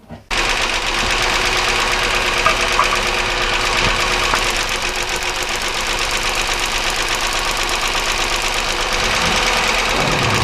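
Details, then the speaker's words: 1999 Chevy Malibu 3100 V6 idling while plug wires pulled one at a time: sharp ticking knock about three per second, unchanged as cylinders cut out (idle slows); suggests top-end rather than rod knock, unconfirmed. "obviously you can hear there's no change in the sound again you notice the sound gets a little slower because of the misfire that we're causing but the actual sound doesn't change which means that this is more indicative with top end"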